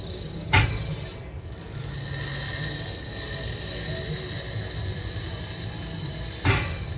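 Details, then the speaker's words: Commercial Trane rooftop package unit blower turned by hand: slow, dry scraping with a thump each revolution as the broken blower wheel rubs its housing. The bearing looks okay. "that's a bearing or a wheel or something and you can kind of see where it's rubbing"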